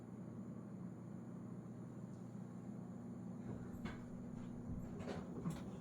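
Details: Whirlpool Cabrio washer after latch replacement for the E3 F5 error, water disconnected: quiet hum with sharp clicks as the lid lock engages; latch check passes and it tries to fill, fixed.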